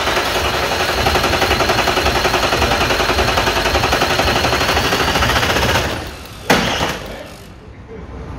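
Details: 1998 Audi A4 2.5 TDI (AFB) diesel after timing belt and water pump change: rattles into life with a fast clatter, runs a few seconds, then dies abruptly on its own; failing injection pump.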